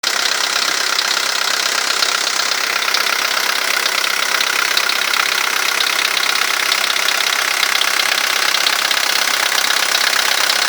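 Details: VW Golf III 1.9TD (AAZ) diesel at idle: a sharp, rapid ticking knock, about two or three a second, over a bright clatter.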